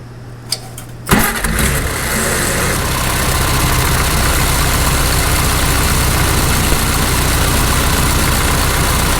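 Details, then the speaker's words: 1948 Farmall Cub tractor restarted right after its oil change, checking oil pressure and leaks: brief cranking, then it catches at once and settles into a steady, even idle with no knocks or misses; an oil leak is then spotted. "First of all, when we fire it up, that shortly after we fire it up, we get oil pressure and we don't see any leaks."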